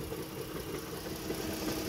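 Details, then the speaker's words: Dodge Chrysler Town and Country/Caravan idling with steady rapid knock underneath that mimics rod knock but is a cracked flywheel/flexplate. "That is not bottom end rod knock or anything like that, guys. I saw a guy in the shop get tricked by that. He was getting ready. He pulled the engine out just to find out the flywheel was cracked, guys."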